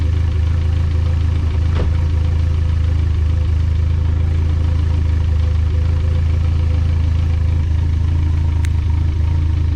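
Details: Built engine just switched from 20W-50 to Valvoline 5W-20 oil: an even idle rumble with a faint quick tick keeping pace with the engine, about four a second, just as loud or louder after the thinner oil: valvetrain lifter tick.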